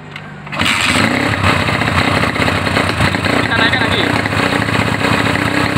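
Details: Honda GL Neotech motorcycle revving: uneven, stumbling exhaust note with irregular popping instead of a clean pull, misfire under throttle. Bike runs but falters when opened up, uses too much fuel and fouls plugs black; cause suspected.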